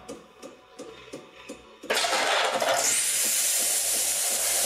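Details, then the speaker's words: Saeco Incanto HD8911/09 espresso machine after burnt-electronics repair and reassembly, steam selected via menu to check wand for leaks; water valve heard not fully closed, expected to close: faint pump ticking, then loud steady steam hiss with no sputter; steam wand normal. "Zróbmy hałas parą nagrzejmy go od razu czyli menu menu słyszę że się nie domknął zawór wody ale on się pewnie zaraz domknie"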